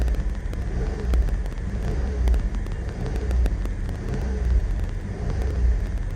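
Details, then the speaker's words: Suzuki Wagon R RR DI MH21S, just after replacing the ISCV (idle speed control valve) and reconnecting the battery: the petrol engine idles high and hunts, its rumble swelling and sagging about once a second. "果たして症状が治ってんのかどうかです。アイドリングは高いですね。"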